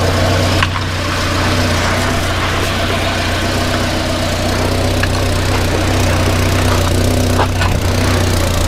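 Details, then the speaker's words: 1994 Volvo 480, 2.0-litre petrol, just started after being laid up, with the replacement for a manufacturer-faulty downpipe fitted: steady low idle with a faint irregular puffing blow about four a second. There's an exhaust leak at the rear coupling. "yeah it's quite an exhaust blow coming from that coupler yeah from from round this coupling I think that's where we've got an exhaust leak"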